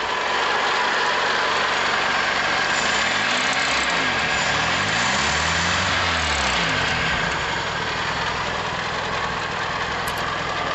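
Steady, even single-cylinder putter holding a constant speed with no misses or stumbles; the carbureted engine idles cleanly.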